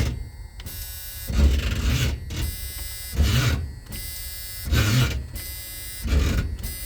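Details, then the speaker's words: 1986 3/4-ton Chevy Custom Deluxe 2500 with a big block: the starter groans through slow, labored crank bursts, each stalling after about a second. The previous owner blamed the starter; the owner fears the engine is partly seized or has bad bearings. Unconfirmed. "But he said, "Yeah, you're going to need a starter. The starter's dragging." I'm hoping that's what it is. Because to me, it sounds like the engine might be a little on the seized side."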